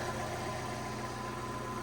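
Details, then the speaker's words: Steady idle on a newly acquired project car with a rough pulsing rattle under the firing beat; owner suspects a noisy clutch, possibly gearbox, to be checked on a drive, and may pull the engine. "actually can you hear that that's a noisy clutch if we got to do the clutch on this that's that's mad"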